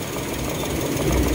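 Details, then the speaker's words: Toyota Wigo with check engine light, scanner reading cylinder 2 injector circuit: uneven, stumbling idle with faint irregular tick over engine noise; cylinder 2 misfire, rough idle. "So merong check engine dito tapos sa nandito yung nabasa sa scanner so cylinder 2 injector circuit yan"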